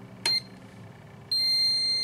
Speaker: see that light you can hear the beeping switch is closed